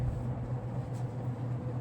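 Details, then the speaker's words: General Electric top-mount antique ceiling fan on high, about 1.8–2.16 A, 129 W, roughly half power factor: steady low hum with a smooth, even whirr, no ticking, rubbing or wobble; well balanced and running healthy. "It's well balanced. You know, it's in great shape. It runs great."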